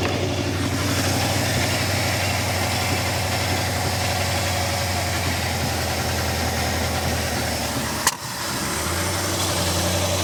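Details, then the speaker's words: 1964 Ford Galaxie 500, stock 352 FE V8, Cruise-O-Matic, 37,777 miles, barn-stored since about 1992, first run: deep idle with uneven puffing and one sharp pop, exhaust likely holed; exhaust leak with slight backfire. "We know that we have exhaust, at least mostly. Sounds like maybe there's some holes in it, so we'll deal with that."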